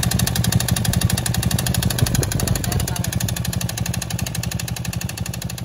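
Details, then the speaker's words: Honda Beat Deluxe scooter, loose (oblak) cylinder liner, arrived for a 140 cc BRT bore-up, oil leaking into the CVT: rough, loud running with a harsh jackhammer-like clatter. "Buset suaranya kasar bener ya bang untung nyampe lu bang dari Kalideres ke bengkel kita"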